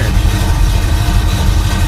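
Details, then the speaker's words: 1971 Chevy Nova Chevy 350 V8, not run in 15 years, cold start on half choke after new fuel filter O-rings: steady, even low idle warming up, no knocks or misses; sounds normal. "Let it run, let it warm up. What'd you say? Does it sound normal? Yeah. Alright, making sure."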